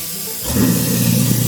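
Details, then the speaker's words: Newly installed Badger 5 ½ HP food waste disposer switched on with water running. The motor kicks in to a steady low hum with water rushing over it and no growl or grinding; it is much quieter than the old growling unit. "There it is. New unit's a lot quieter. The other one's really growling as it was being used."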